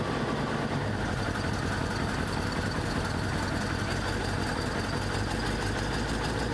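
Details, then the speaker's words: 1983 Ford E350/Econoline RV V8 with blown head gasket, white coolant smoke, coolant drained, driven needing left-foot braking to keep running: loud, uneven low rumble with unsteady beat as cylinders drop in and out. "So I did have to do some left foot braking to keep this thing running. It's running pretty rough."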